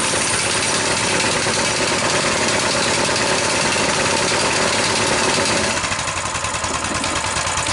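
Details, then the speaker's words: Coleman BT200X minibike that revs to full throttle since crashing and tipping over in mud, run on a temporary fuel line: engine stays revved high and never drops to idle. Governor linkage holds the throttle open; spring looks stretched or internal governor suspected. "so what did we observe we observe that when the engine is running this Governor isn't pulling back enough to let the engine idle there's always this constant tension on here"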